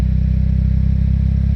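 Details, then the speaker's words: Mitsubishi 4G63 petrol engine after repair, morning start, idling with AC compressor cycling: deep, even idle pulse with no rev swing, misses, knocks or hunting; smooth, no black smoke, complete combustion. "สตาร์ทตอนเช้านี่ไม่มีรอบสวิงนะครับไม่มีรอบสวิงไม่มีอะไรเครื่องนี้เดินเรียบนะครับ"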